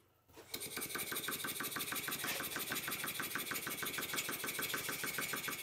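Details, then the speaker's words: Stuart S50 model steam engine on first test run, on air: brisk exhaust chuffs about three per second with a slightly uneven beat; runs okay but valve timing is not right, yet to be set. "it seems to run okay but as usual the valve timing is not right but you can't have everything"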